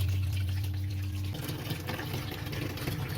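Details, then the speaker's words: Two-tub washing machine modified to automatic with solenoid inlet valve and water-level sensor, full level, 8-minute fill set: brief low valve hum then water gushing and splashing into the tub; normal water filling. "Pilih on sudah kita tinggal Air langsung diisi nah mengisi ini nanti tadi setting 8 menit ya"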